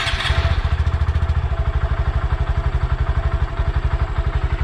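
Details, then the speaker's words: 2020 Honda Grom idling on its stock factory exhaust before the aftermarket exhaust swap: soft, even thumping at about two and a half beats a second, very quiet, judged too quiet for the road, but healthy. "So I think what I'm gonna start out doing is we'll start it up, let you hear the factory exhaust, which is godly quiet."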